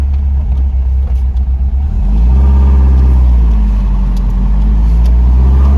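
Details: Porsche 914, newly built 2056 cc engine, dual throttle body MegaSquirt EFI, performance cam, enlarged valves, Tangerine Racing exhaust, 123Ignition, road test in basic tune: throaty exhaust climbing evenly under load to high rpm, no stumbles; normal acceleration.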